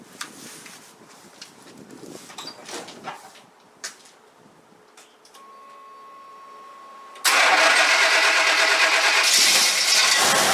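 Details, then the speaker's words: 1989 Chevy K5 Blazer GM TBI V8, startup before warm-up: catches and settles into a loose, soft idle without the bark against compression; ignition timing retarded, not advanced enough. "You'll be able to tell that it's definitely not advanced, because it doesn't have that roar where it's fighting the compression. But you'll hear it. It sounds like loose almost. That's the best way to describe it, is loose."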